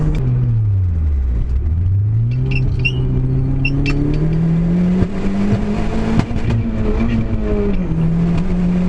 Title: Clio Misfire